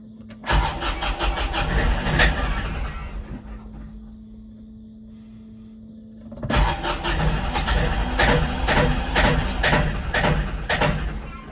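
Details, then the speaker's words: Kioti NX5510 tractor diesel with P0341 crankshaft sensor code, check engine light, high idle and 2200 rpm max: catches, spits and sputters with black smoke, runs ragged, sags almost to stalling then picks up; failing crank sensor. "And then sometimes when you crank it up, it starts spitting and sputtering, black smoke, and it'll actually die out. Let's see if I can get it to do that."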